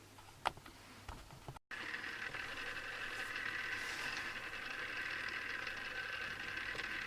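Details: Newly assembled Tamiya Display Turntable (black), on its first test spin: steady, thin whirring buzz from small plastic gears at constant speed; the owner dislikes the gear noise and may fix it, cause unknown.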